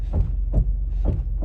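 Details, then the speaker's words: 2007 Chevy Uplander, 248,838 miles, creeping forward with brake taps; a deep dull thump about every half second as the control arm shifts forward and back, from a worn lower control arm bushing that had come loose and fallen out. "So I'm pretty confident we're gonna find lower control arm bushings are bad."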